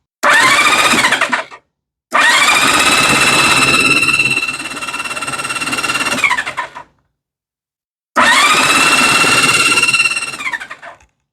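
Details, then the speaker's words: 1971 Honda CB500, sat 30 years, cranked on starter to build oil pressure and clear oil light: three bursts of fast, even cranking with bright starter whine, engine spinning freely; normal starter cranking. "now I'm going to spin the engine over with the starter see if I can get that oil light to go out"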